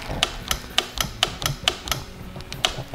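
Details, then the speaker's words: 1969 Roof Palomino lawn mower Jeep, starter button pressed: sharp dry clicks about three a second with no cranking; starter solenoid judged bad, while the starter spins when powered directly. "no I can hear the sound like clicking probably there goes it's bad"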